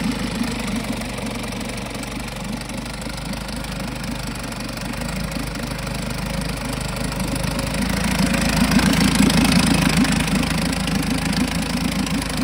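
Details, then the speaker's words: 1952 Johnson SeaHorse 10hp two-stroke outboard, trash-found, running without carburetor rebuild or new impeller: even, crisp buzz holding steady with a slight rise in speed, no misses or knocking. Runs good; needs only a pull rope, O-rings, apparently a twist grip and a gas leak fix. "Okay, well, it runs good, other than needs a pull rope, some O-rings, looks like a twist grip, and a little bit of a gas leak fix there."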